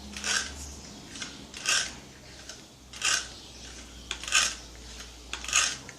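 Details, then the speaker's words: Gamo CFX Royal air rifle, which arrived with the noise: five or six harsh metallic rasping scrapes, about one per second, as the barrel is broken to cock. Cause unknown. Scraping noise when cocking. "Tá vendo? Tem que saber o porquê que tá tendo esse barulho aí. Tá tendo... Ela já veio com esse barulho aqui."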